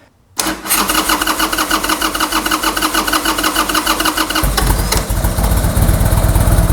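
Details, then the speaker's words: 2002 Harley-Davidson Sportster 883R, carbureted, after accelerator pump rebuild: starter grinds briefly, the V-twin catches within seconds and settles into a loping, uneven-beat idle while the float bowl fills; normal cranking and quick start. "And I'm going to go ahead and crank it until it starts so that I know the carburetor's full."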